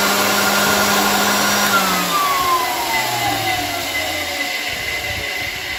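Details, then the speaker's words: 1923 GE Premier Junior vacuum cleaner motor after packing the bearings with grease and fitting a new cord: smooth whir with a clean whine winding down evenly as it coasts, no grinding or rumble; normal motor run. "sounds good to me see if this works well that works"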